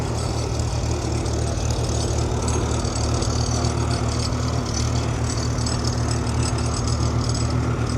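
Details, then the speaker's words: Farmall H row-crop tractor running after a start: low idle thump with uneven, stumbling beat and skipped pulses; owner suspects a dead spark plug, plugs not yet checked. Engine misfire. "Sounds like she's developed a bit of a mess. We'll have to drop the plugs out of her. Probably won't be happening this episode, but yeah, she's definitely got a dead plug."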